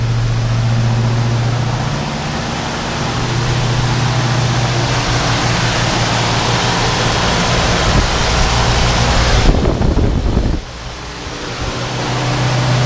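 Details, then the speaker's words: 1968 Ford Mustang 289 V8, first start after carburetor rebuild, fuel leaking at loose fuel filter connection: steady, fast, loud idle never dropping to a low lope, super high; high idle, owner suspects vacuum leak, unconfirmed. "And two, that idle seemed really high. Super high."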